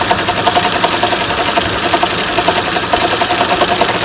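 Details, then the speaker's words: Honda V6, 3.0 or 3.5, engine running: busy flapping whir with a faint uneven beat near two per second, sounding like the timing belt flapping inside its cover but actually a worn alternator bearing. "Alternator. Sounds like the timing belt's flapping inside."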